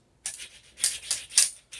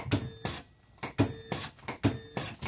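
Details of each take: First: Videojet Dataflex Plus 6420 107mm printer, which came in with poor print quality. Timing belt moved aside, carriage pushed by hand with no motor running: gritty, raspy scraping bursts from the linear slide bearing alone; linear slide grinding, the root cause. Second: Videojet Dataflex Plus 6420 107mm printer after replacing the timing belt and linear slide: crisp, evenly spaced clack-and-whirr cycles about every second; normal print cycle, motion problems fixed.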